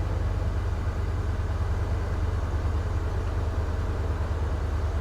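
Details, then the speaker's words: Ford 5.0 Coyote V8 from a salvage auction, just started, with no check engine light: a steady, even low rumble with no knocks or misses. The idle is normal and healthy. "Oh, yeah. Oh, yeah. That sounds nice."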